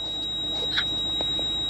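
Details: Single short high electronic beep in a quiet cabin of a 170-series Toyota Crown Majesta (1UZ-FE V8), the ABS warning that beeps constantly with ABS and brake lights on; low ABS pump pressure.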